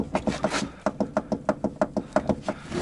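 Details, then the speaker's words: Lada 2104 Zhiguli, jacked up under the control arm: rapid dry creaking knocks about three a second whenever the wheel is loaded, the same sound heard while driving, traced to a worn steering gearbox. "этот звук идет у нас от рулевого редуктора любая нагрузка на колесо идет этот звук до определенного момента он есть здесь уже не так много звука"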